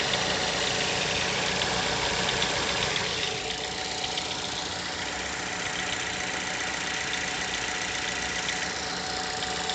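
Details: Mazda 6 GH 2.0L, cold after long standing, idle at 1000-800 rpm: steady, fairly quick tapping, about four knocks a second, over engine hum; disappears once coolant temperature starts rising; origin unknown.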